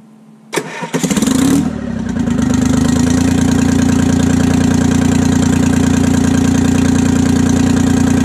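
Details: 1968 Detroit (GM) 3-53T two-stroke turbo diesel after total overhaul, destined for a compressor, restarted cold, now lukewarm; brief crank then loud, even, fast idle, no misses or knocks, good oil pressure, no leaks; normal running.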